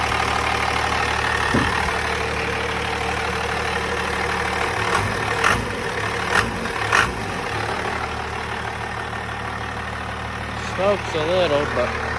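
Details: 12-valve Cummins diesel restarted after an AFC fuel tuning adjustment: catches and settles into a steady low idle with a few stray clunks; running normally.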